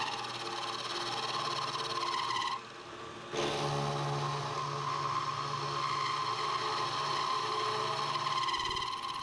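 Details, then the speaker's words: Milling machine cutting while building NT30/ISO30 arbor for 50mm face mill: steady low drone with harsh ringing chatter, rough noisy cut; owner unsure whether dull cutter or quill bearings, source unconfirmed. "anyway don't think that cut is real sharp either and you can hear that bit of noise in the I don't know whether it's just quill need to in the bearings I don't know"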